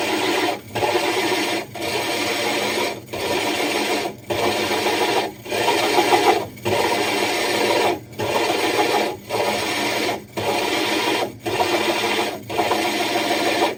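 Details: Drilling a hole in a 60-gallon breeder aquarium's glass, the drill's power varied and pressure lifted and reapplied: gritty cutting in even one-second bursts with short quiet gaps; a normal, controlled glass cut.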